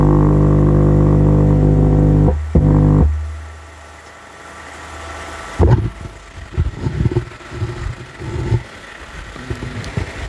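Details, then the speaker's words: Wisdom active subwoofer (no-sound fault, 5A 45CT transformer) tested with a dummy speaker load on the driver board output; touching the input via a capacitor gives a steady low hum with a buzzy edge through the speaker, so the driver stage passes signal normally. "tes menggunakan beban speaker di output mesin drivernya dan di sentuh lagi untuk bagian inputnya menggunakan kapasitor dan output speakernya terdengar ya di speakernya Nah itu teman-teman untuk speakernya sudah terdengar"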